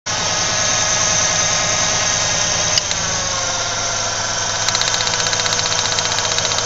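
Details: 1995 Ford Ranger Splash 3.0L V6 at idle: uneven, shaky beat with a faltering note that comes and goes, heavy vibration and strong gas smell; rough idle, possible misfire, spark plug wires being checked.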